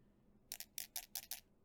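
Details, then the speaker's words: Keyboard stabilizer wire tapped on flat surface during balancing: six light sharp metallic ticks as wire rocks, ticking on left side while right side is flat; bent wire needs twisting to balance. "we can hear ticking on the left side so what we want to do is balancing in such a way that we'll twist the left side downwards and the right side will try to keep it in place or twist it upwards"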